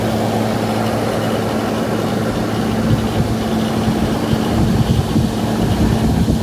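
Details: GE AHC12LYW1/ACH14AZW1 12,000 BTU window air conditioner on high after a DIY control-board bypass fixing the 88-code beep-and-shutoff fault: steady fan rush over a low electrical hum, no clicking or cycling; normal running.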